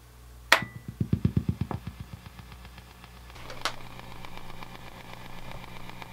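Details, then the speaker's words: Fender '68 Deluxe Reverb amp, volume 4, treble 5, bass 5, reverb 1, tremolo speed 6, intensity 8, room mic: fast even ticking about ten a second over hum, tremolo ticking bleeding into output; fades at volume 8+. "so i'm sure you can hear how they both are are exhibiting that ticking it does seem quieter in this um which is good they both exhibited the same problem"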